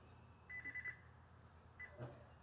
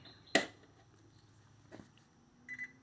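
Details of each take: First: Gold's Gym Trainer 410 treadmill (GGTL39610), long left outdoors, belt off the motor, thermal cutoff bypassed: motor only bumps instead of rolling, then a few short error beeps. Owner suspects motor brushes; not confirmed. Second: Golds Gym Trainer 410 (GGTL39610) treadmill, circuit board cleaned after outdoor storage, motor belt off: switch click then short high double beep as console powers on and LED lights; normal power-on.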